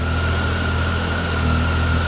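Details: 2013 Triumph Tiger 800XC, 21,569 miles, hot after a 35-mile ride, fixed with a new OEM starter after a defective factory one. Smooth, even low idle with faint steady hum, no ticking or stumbling: normal idle.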